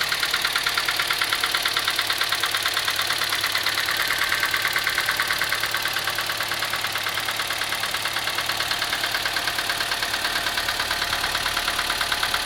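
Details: Engine at idle, dieseling: sharp, even ticking about three times a second from the valve cover area; worn rocker arms.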